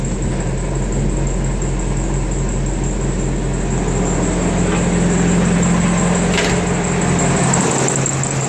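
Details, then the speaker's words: 1992 Chevy S10 with a 2.5 Iron Duke four-cylinder at 164,689 miles, idling with the clutch released: its T5 manual has blown first and second gears, and a loose chattering gearbox rattle sounds under the steady idle. "Now what I will say is I'm holding the clutch down right now because you can hear rattling with the trans. So I'm going to let my foot off of that, and that's what you'll hear."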